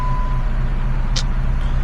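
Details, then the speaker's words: 2013 Jeep Patriot 2.4L with check engine light and rough running: low, lumpy idle with an uneven beat; misfire counter shows steady misfires on cylinder 3 (codes read cylinder 2), traced to a bad ignition coil and bad spark plug. "So, check this out. We're getting straight misfires on cylinder number three now. So, we do have a bad ignition coil and a bad spark plug."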